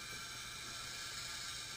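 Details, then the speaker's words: Engine leak-down test showing about 50% leakage: a steady hiss of air pours out of the dipstick hole, indicating bad piston rings or worn cylinder walls. "you could tell that I'm leaking somewhere and if you take the camera you can actually listen to it and where is right out the dipstick hole the dipstick hole is telling me I got bad rings I've got bad cylinder walls"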